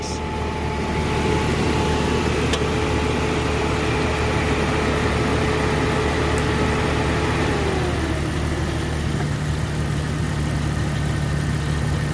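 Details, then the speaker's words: 1998 Jeep Cherokee XJ 2WD with the 4.0 L six, bought with a slipping transmission: engine idles with a smooth, steady low drone, no knock and quiet valves; normal idle. "that just sounds really good"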